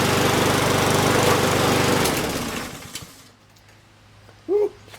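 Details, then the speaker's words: Walk-behind lawn mower after removing and rebalancing a bent, unbalanced blade: steady, even single-cylinder putter with no lumpy shake, then winding down; some smoke from oil in the exhaust, vibration much reduced. "Okay, it's going to smoke because I got some oil in the exhaust, but the shake is way less."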